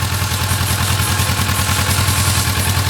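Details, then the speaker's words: Kawasaki ER-6n cold after days unused, after repair replacing crankshaft and bearings for engine noise: even regular exhaust pulses at steady idle with no knocking or clatter; normal idle. "Tá aí, ó, já testada, sem barulho nenhum no motor."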